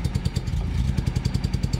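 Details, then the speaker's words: Nissan 240Z inline-six project car, started on a little choke: low, lumpy, uneven idle that stumbles; owner attributes the rough running to weak ignition, not head gasket, as compression tested 170–185 psi on all six. "yeah she runs real rough um due to weak ignition I know it's not a bad head gasket"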